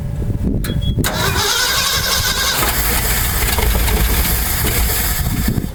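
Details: 1968 Ford F250 camper special, not run in years, on old fuel with new distributor, cap, rotor, plugs, wires and coil: cranks, catches and runs ragged about four seconds, then dies; won't stay running, traced to a faulty ignition condenser.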